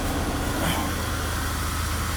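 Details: 2001 Buick LeSabre derby car, accident-damaged with stored codes, idling with no coolant. A steady, even low idle with no knocks, misses or whines; normal idle.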